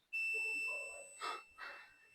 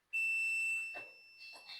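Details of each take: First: Nissan D23 21-plate diesel, ECU offline, 20A ECU feed fuse blowing again: multimeter on the red main feed wire gives a sharp, steady high beep for about a second; wire shorted to ground in engine harness. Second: Multimeter continuity check of ground on Nissan D23 21-plate diesel with ECU offline and repeatedly blown 20A ECU fuse: clean, steady high beep under a second; good ground confirmed.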